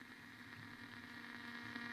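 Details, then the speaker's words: Blaupunkt Arkansas tube radio after tuning capacitor repair: faint steady hiss and low hum, louder toward one end of the band, no station received; owner suspects a short. "it's actually it's getting louder as I get to this end of the band but it's not picking up anything destroy no way I can hear the hiss"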